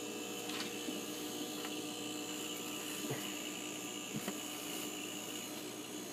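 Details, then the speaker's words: Refrigerator after fitting a Supco 3-in-1 compressor start device: starts with clicking, then steady even hum with faint high tone and light taps as compressor and fan run normally. "looks like the fans running it sounds like the compressors running feels like it's moving in there yeah hasn't shut off yet so they'll run a little bit more"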